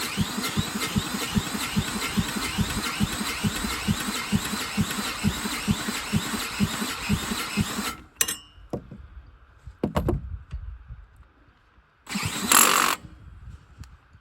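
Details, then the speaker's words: 10,000-watt generator that sat under a tarp, started with a drill after an oil change and a spark plug swap. It cranks fast and evenly, fires, then sputters and dies; it won't stay running. "fired oh my [Music] goodness turn choke off oh wow sounds like it wants to go"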